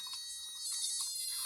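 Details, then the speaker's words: Cheap electronic burglar alarm kit with an inductor-based oscillator: a shrill, steady warbling beep with slight pitch wobble; the pitch changes when the board is flexed. "that sounds like some sort of Far Eastern or middle eastern musical instrument like a bazooki or what's that thing I can't remember what it's called now one of those strange wind instruments that is tuned to uh a nonwestern tuning"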